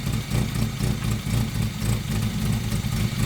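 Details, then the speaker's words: 1992 Mazda Miata NA 1.6L, long-sitting project: low, lumpy idle with uneven beats that stumble and surge; running rough, cause not pinned down; fuel pressure checked next, wideband sensor suspected. "We're still running rough, so my first thought here was to check our fuel pressure."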